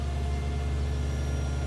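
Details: 1996 Toyota Cresta (JZX100) after fuel pump replacement to fix a crank/no-start: smooth even low rumble with no misses or knocks; normal idle.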